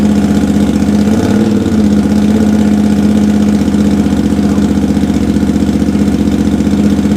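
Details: Honda GL650 V-twin, first start after a full rewire, stock headers with crossover into a merge and Cone Engineering muffler; steady, even idle with a regular low pulse, no knocks or misses, paint and heat wrap smoking off; sounds really good.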